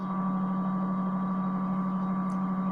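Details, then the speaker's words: AM-band receiver with pre-selector near a cheap switching ham radio power supply radiating periodic carriers across the band: steady low drone with fainter high whistle over unchanging hiss; switching power supply interference. "So I have this cheap ham radio power supply which radiates different frequencies, different carriers inside the AM band. Here is one."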